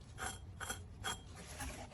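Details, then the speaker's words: 1978 Jaguar XJ6 Series 2, engine off, power steering pump pulley spun by hand: dry rasping scrape about 2.5 times a second from the tensioner bolt rubbing the pulley back, the nasty dry sound heard when running; may shave bolt down. "so that's the the sound that was a bit of a nasty dry sound that it was it had when it was running"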